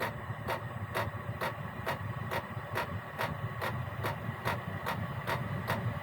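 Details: Gearlasso 8kW 12/24V Chinese diesel heater on program 01, about 18 minutes running, burner chamber 72°, 13.2 V. It is warming up: steady pump ticks about twice a second over an even fan hum that picks up slightly. Normal warm-up.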